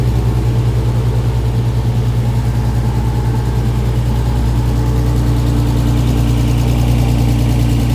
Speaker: Limited. That sounds sounds nice.